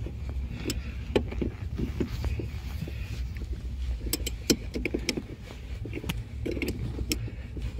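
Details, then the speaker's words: Renault Logan rear shock absorber knocking over bumps on rough road, sharp irregular knocks over road rumble; top nut tightened almost fully as usual after shock replacement causes it, fixed by slowly backing off the nut until knock stops. "То есть , обычно именно так затягивают амортизаторы при их замене. Именно так и появляется этот стук."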